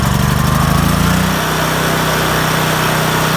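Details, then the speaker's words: Generator with a dead battery pull-started on choke: the engine catches and settles into a fast, steady choked run, pitch dropping slightly after a second; healthy, just rich on choke before the choke is turned off. "You got your pull cord here. And as you're doing that, that's the choke. You just push it."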